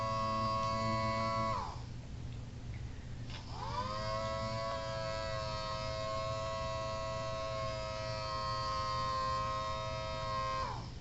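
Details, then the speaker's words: Homemade mini Thunderbolt siren chopper with rotator on a used, about half-dead 9 V DC battery (needs 18 V for full blast): steady wailing tone settles low and holds, sounding weak from low battery voltage. "I'm running this on a used 9 volts DC battery, and it's a little low on power, so it might sound like a chopper level 4 or whatever. It's probably like half dead."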